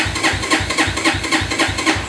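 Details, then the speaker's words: XR150 clone motorcycle, electric start: starter pulses slowly about four a second with no firing; battery very weak, decompression lever needed to start; weak battery, slow cranking. "Okay. I do have the battery, seems pretty weak."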